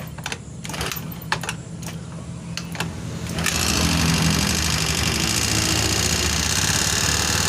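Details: Honda Beat FI scooter, engine seized from dry, low oil, freed by adding oil without teardown: a few cranking bursts, then the single catches and runs loud and slightly uneven. Rough idle just after freeing seized piston.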